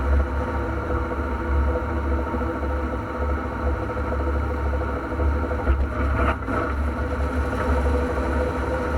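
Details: Transfer case noise on an NP231J (post-1997): a steady low drone with a mid-pitched whirring hum over the drivetrain; cause to be found at teardown.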